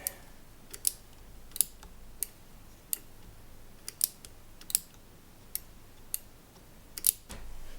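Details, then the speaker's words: Yamaha CR-1000 receiver switch after bending its bracket to fix half-clicks: crisp, even single clicks as the knob steps round; switch now clicking normally. "So I think the easiest way to fix that is to bend that little uh bracket here a little bit. Ah, okay. That sounds a bit better."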